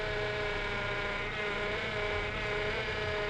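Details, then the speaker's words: Honda Civic power steering making a steady droning groan with a hum on top of the idling engine as the wheel turns. The pump groans because it has the wrong fluid; a flush is planned, and the pump may already be damaged. "Esse barulho que vocês viram, esse rangido, já conferimos, está com o óleo errado."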